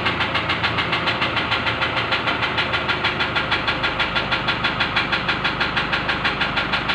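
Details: Steady, sharp ticking knock about three per second over an even engine idle; suspected injector knock, cause unconfirmed.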